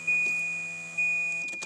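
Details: Volvo 940 wagon with a cut wiring harness during a V8 swap prep, ignition on: steady high-pitched hum over a chime repeating about once a second, traced to a relay.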